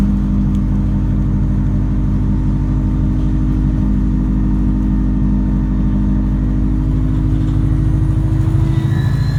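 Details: 2014 Alexander Dennis Enviro 200 diesel bus. Heavy diesel rumble with a steady droning tone and rough low pulsing throughout, unlike its normal sound; abnormal engine noise, cause unclear.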